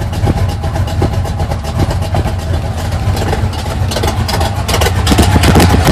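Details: 1980 GMC Sierra C15 with junkyard L31 Vortec 350 (130k-mile pistons/rods, 9.5:1), Summit K1107 .488/.510 lift cam, Performer RPM intake, 600 Holley, Flowtech headers, Thrush mufflers; cold start, loud uneven choppy lope stumbling between revs, mic clipping; lopey idle from performance cam.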